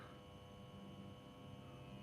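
A steady low electrical hum with a faint buzz running through it, no rhythm at all: the strip lights are buzzing.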